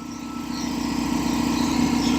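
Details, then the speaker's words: Revived long-idle belt-driven air compressor on first run, pumping from about 130 toward cut-out near 135–140 psi: steady rapid pumping beat working slightly harder and louder; pressure switch works and pressure holds; normal running. "All right, pressure switch works. Take a look at the pressure there. It's about 135."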